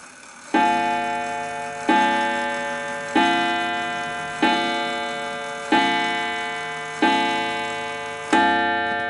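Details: 1920s 8-day Napoleon hat antique mantel clock just wound clockwise and positioned: seven clear ringing chime strikes about every 1.3 seconds, each decaying evenly; clean, healthy chime with steady rhythm.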